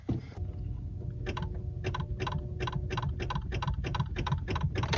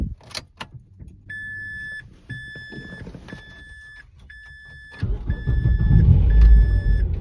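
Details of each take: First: Mazda 3 manual with nearly six-year-old Duralast Gold battery: key turned gives only rapid clicking, about three per second, no cranking; dead battery, replaced. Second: Manual Mazda 3 after replacing a nearly six-year-old dead battery; chime beeps, short crank, then the engine catches at once into a steady, even idle; cause was just a bad battery.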